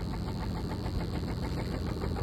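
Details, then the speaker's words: Truck petrol engine idling with a steady, deep knock tied to engine speed: rod knock. It needs main and rod bearings if the crank and cylinder walls are okay. "That's a rod knob sound. So, it's going to need main bearings and rod bearings if the crank is not really bad and the cylinder wall is not really bad."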